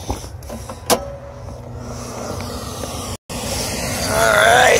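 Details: Hartzell burner with control transformer not engaging, after ground screw fix, first fire-up: low steady rumble, brief pause, then rising motor tone near end; normal burner startup, spark obtained.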